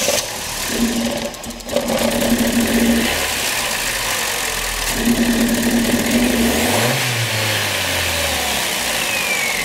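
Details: 2011 Opel Meriva, stone-cold engine on a cold day, hard to start on cold mornings; starter churns for seconds before the engine reluctantly catches and revs; extended cold crank; no fault codes stored.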